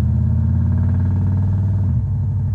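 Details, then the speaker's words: Turbo V8 police car with a custom automatic transmission, timing 15°, pulling under load. It gives a deep steady drone and a clean upshift; shifting is fixed after the kickdown linkage was reconnected, which had caused short shifting. "oh yeah shifts much better I know the transmission was acting funny so I was getting nervous but I forgot to hook up the kick down last time so that was what it was"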